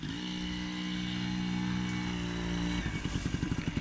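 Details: 1980 Yamaha QT50 two-stroke test-ridden after eight years off, with new exhaust gasket, throttle cable, fuel and oil lines, and front brakes: steady buzz at light throttle, pulsing as the throttle opens, running cleanly and evenly with no knocks; normal running.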